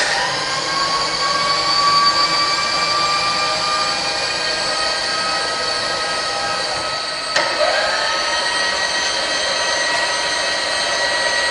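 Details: Bridgeport belt-drive milling machine, serviced and in good working order: a steady, even spindle whine over the motor hum with no knocking or grinding, so the spindle runs normally.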